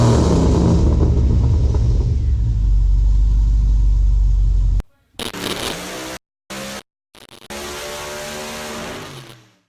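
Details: Pontiac G8 V8 with a Borla S-Type cat-back, used Pacesetter headers and a replaced bad #8 injector: a deep rumble that climbs when revved and drops back cleanly, firing evenly with no misfire stumble; healthy with a low growl.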